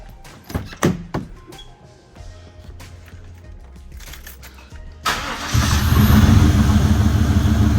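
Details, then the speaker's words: 1995 Chevy Impala SS, after Opti-Spark work with spark plugs and wires back in, water pump still off: brief crank, quick catch, then a steady, even idle with no misses. Normal start and idle; the owner hopes the hesitation is fixed. "So she running, but you know, I ain't gonna let her run too long because I gotta put the water pump back on and everything like that."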